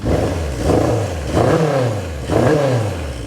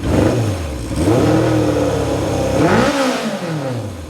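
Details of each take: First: 1978 Kawasaki KZ650 with the idle still set slightly low, carbs not yet balanced, and exhaust blowing out what may be packing. Three throttle blips with a slightly ragged rise and fall. Owner says it revs pretty good. Uneven revving. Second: 1978 Kawasaki KZ650 four-cylinder after revival, exhaust packing possibly blowing out: crisp rev climbing smoothly toward about 5,000 rpm and falling, pulling clean with no miss or clatter. It sounds healthy, though the idle occasionally hangs up on return.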